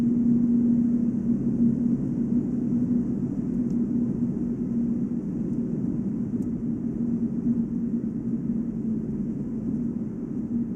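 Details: Volvo S80 on brand-new 245/40 R18 Goodyear Eagle F1 Asymmetric 6 summer tires: steady low hum over muted road rumble only at about 145 km/h (±5); wheel bearing unlikely since there is no play; owner suspects tire tread or rim design.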